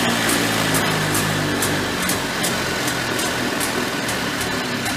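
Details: Early-1990s Polaris Trail Boss 250 two-stroke, clean carburetor: buzzy steady running, revs slow to drop and hang high after throttle release; owner suspects leaking crankcase seals causing an air leak, intake boot believed fine.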